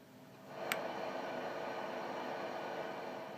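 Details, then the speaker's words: Geloso G1040 tube PA converted to a guitar amp, newly biased with a 10k pot: a steady hiss with faint hum rises as channels 1 and 2 are turned up, with very different noise levels; the tone stack is very noisy. "The problem with the tone stack is that it is very, very noisy. It's quite efficient and it's almost perfect, but it's very, very noisy in some way."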